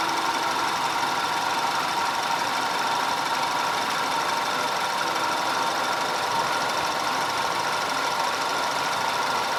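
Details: 2010 Audi A5 2.0 TFSI Cabriolet after repair of random and constant cylinder 4 misfire (P0300, P0304, P130A): smooth, even idle with a steady mid-pitched hum and no stumbles or skips; firing now even.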